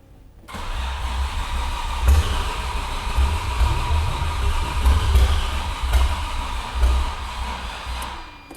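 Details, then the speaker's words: Audi 90 Quattro Sport from salvage yard, first start attempt: sluggish, uneven starter churning about eight seconds without catching; slow cranking from weak battery. "We need a battery, a real battery in this thing. Who would have thought a Mustang battery wouldn't fit in here?"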